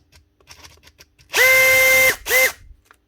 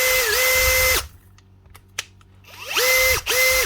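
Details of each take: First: Heavily used Makita DHP483 18V compact drill before repair: short bursts of high motor whine with a rough, rasping edge. A bearing is suspected gone or rubbing, the faulty switch gives no variable speed, and the gearbox is good. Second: Makita DHP483 18V compact drill after a new 604 bearing and grease, with the worn chuck not yet replaced: short trigger pulls give a clean, even whir that rises and settles smoothly with no grinding, now quiet and healthy.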